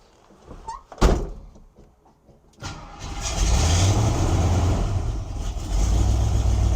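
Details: 1972 Ford Maverick Grabber, freshly rebuilt 302 V8 with rebuilt carburetor, fed from a jug: catches after a couple of cranks into a loud, lumpy, uneven idle. Owner suspects it needs timing adjusted, not confirmed.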